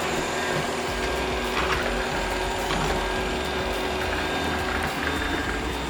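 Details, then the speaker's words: Shark RV1500ZXUS robot vacuum, side wheels previously reported stuck, after cleaning debris from wheel motor encoders with compressed air: steady motor hum and smooth wheel whir, no catching or grinding; drive runs normally. "definitely works much better this time around I guess this is a win we got it fixed"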